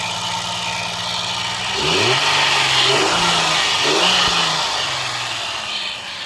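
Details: Peugeot 505 V6 manual, hard-start after over two months sitting: steady idle with a few quick throttle blips that rise and settle cleanly; no misfire, knock or hunting heard.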